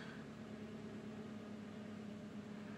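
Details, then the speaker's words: Suzuki SX4 with P0301 cylinder 1 misfire after replacing failed NGK iridium plugs at about 30,000-35,000 miles; smooth even hum, no misses or stumbles, revving much better after plug change. "getting some different messages there it's definitely revving a lot better"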